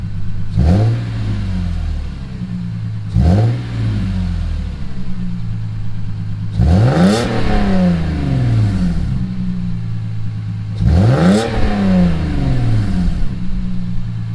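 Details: Lexus IS300 with a new GReddy Supreme SP catback (emptied, no cat) and stock headers with stock cats: four clean blips with a deep, even exhaust note and no rattle; healthy exhaust.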